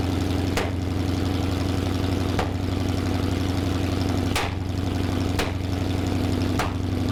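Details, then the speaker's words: 1974 Plymouth Duster original Mopar 360 V8, fresh beginner rebuild, hydraulic flat-tappet cam, first start: steady lumpy idle broken by sharp irregular pops about every second, timing hard to set; misfire from two accidentally swapped spark plug wires. "so it was running but it wasn't running well we couldn't get the timing right it was misfiring pretty bad after a bit of digging we found that we'd accidentally swapped two of the plug wires"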